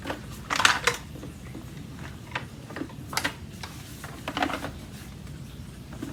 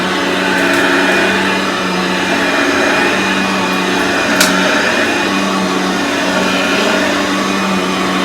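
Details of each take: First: Aeros U162C upright vacuum cleaner, new from the box, shaken with no motor running: irregular light plastic clattering and ticking from a loose plastic piece and its screw, meant to fit underneath the motor, rattling around inside. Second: Aeros upright vacuum cleaner model U162C, old unit, first test after unboxing: steady even motor whir with constant hum, no grinding or labouring; vacuum motor running normally.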